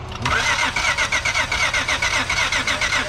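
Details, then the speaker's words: Boat with a no-start, mobile repair: starter cranks steadily at about two beats per second and never fires; spark tester shows only one weak flick, so essentially no spark; crank no-start. "Okay, we nothing. got a half a spark right there. Not too much though. It was just one flick."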